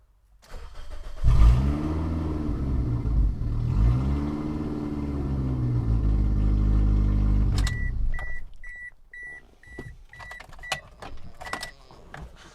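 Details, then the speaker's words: 2005 AWD Toyota Matrix parts car (U340/U341 automatic), exhaust missing and engine running poorly, garage door open, run briefly during transmission fluid flush: loud, uneven deep open drone typical of no exhaust fitted. "I have the garage door open but this thing does not run well and it's missing its exhaust so it's going to be loud"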